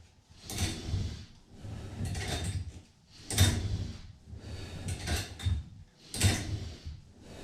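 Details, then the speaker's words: On a Total Gym Apex 1, a two-arm row on the slider is done with the cables crossed to add tension. Each pull brings a rhythmic rasping swish as the crossed cables rub together: cable rubbing noise, less smooth but not bad. "but it was a little noisy you could you can hear the uh the crisscross from the cables um so it wasn't the roll wasn't as smooth but it wasn't bad"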